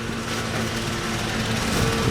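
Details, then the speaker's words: 2002 Nissan Altima petrol engine idling fast and steady with a buzzy hum at start; high idle with code P0507, idle air control suspected, letting in too much air; throttle plate to be removed and cleaned, not confirmed. "when you start this Nissan Altima it starts but since our Hydra air control system rather than expected the vehicle taken too much gas too much air control plate"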